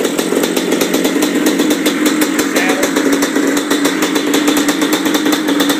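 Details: 1997 Yamaha Blaster 200 two-stroke, first start and break-in after a rebuild: crisp, rapid buzz holding a steady fast idle with even firing and no rattles or misses. Engine runs cleanly; the clutch is not engaging afterward.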